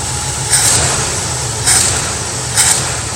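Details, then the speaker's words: Mustang V8 with carburettor, cold start after replacing an arcing spark plug wire that caused a slight tremble: steady, even low rumble at idle with no stumble or skipped beats. "so let going start this thing up and see how it's running okay cold start"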